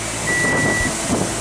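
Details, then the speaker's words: 2003-2008 Pontiac Vibe heater/AC blower after replacing the intermittent blower motor: a steady, even rush of air on high with no rattle, squeal or wobble. The fan works on all speeds and is fixed. "If uh only your high works, you you got to replace the resistor, but I just replace the fan. So, high, low. You can hear it. It's fixed."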